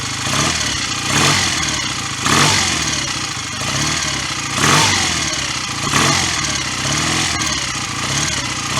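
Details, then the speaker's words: BSA A65 twin just after a full top-end rebuild with new piston rings: busy, clattery twin revving up and easing off every couple of seconds, clean and even, no exhaust smoke; normal running. "Pretty sure we would have seen quite significant clouds of smoke by now, so I'll keep it running."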